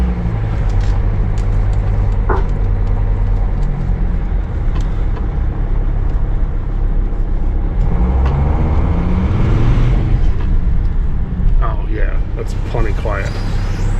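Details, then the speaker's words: 2006 Sprinter driving after an amateur weld repair of its rusty exhaust downpipe: steady low diesel drone with road rumble and no blowing, puffing or ticking; the exhaust sounds sealed and probably quieter than before. "it sounds like it did before it doesn't sound super loud"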